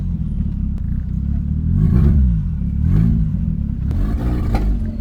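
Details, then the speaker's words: 1989 Toyota Corolla small body, misfire persists on revving: uneven, lumpy low rumble stumbling and surging instead of rising smoothly; earlier it backfired and was hard to start, owner suspects an electrical fault. "meron pa din guys may ano may parang may parang may plema parang kumbaga sa lalamunan hindi smooth yung daluyan"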